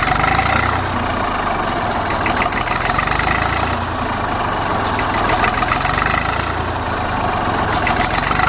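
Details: Old Fordson Dexta three-cylinder diesel tractor, about 1950–51, just cold-started: even, steady diesel clatter at slow idle, owner estimates about 400 rpm; no misses or knocks, healthy.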